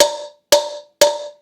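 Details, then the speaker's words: Installing new rear wheel bearing on 2004 Honda CBR600RR by hammer: evenly spaced taps about twice a second, pitch turns deeper and more solid as bearing hits bottom; fully seated bearing sound. "Did you hear how the pitch changed as it hit the bottom? Deeper sound, a more solid sounding hit."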